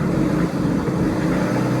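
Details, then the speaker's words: BMW F11 535d M Sport Touring diesel, off the road for 3 years: when revved, the drone stays flat and won't climb. It previously had too little power to reverse up a driveway and then smoked. Cause unconfirmed; limited revs, no power. "That's it, that's your lot. You're not having any more than that. The revs yesterday were so inhibited I couldn't reverse it up the driveway. There's nothing, no power."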